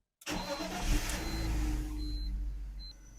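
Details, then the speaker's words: 2003 BMW E46 with M54 engine after replacing a whining remanufactured alternator with a new Bosch 120 amp unit: short crank, clean catch, smooth even idle with no whine or knock; charging 14.3 V versus 14.0 before. "seems to be good if you're charging a little higher than it was before"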